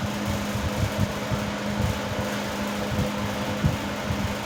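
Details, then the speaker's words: 1970s 16" Toastmaster box fan at medium speed, original blade set out of balance and could not be straightened: hum with uneven low thumps and loose buzzing rattle as the grill vibrates badly; imbalance on all three speeds, before blade replacement. "You can see how badly the grill vibrates. Now it's rattling."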